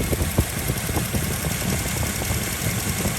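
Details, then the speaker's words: 2001 Toyota Kijang Krista 2.0 EFI petrol manual, 109,000 km, engine bay open: steady low idle with an even unhurried pulse and no knocks or rattles; idling very smoothly and healthily. "sudah injeksi injeksi model lama ya tidak helm sama sekali suaranya halus banget"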